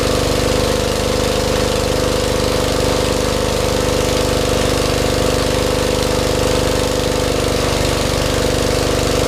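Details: 40-year-old Lincoln Weldanpower 150 rope-start engine welder; steady, even engine drone with constant pitch and no knocks or misses, running healthy.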